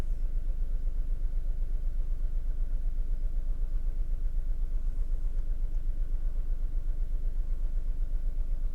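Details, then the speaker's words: VW Polo 3-cylinder at idle, not yet warmed up, cylinder 2 disabled to induce a misfire, exhaust pressure transducer fitted: low, lumpy idle with a steady stumble about four times a second, as one of three cylinders is dead. "There we go, so we've got a misfire. So got a lot of pulses here, that's doing that."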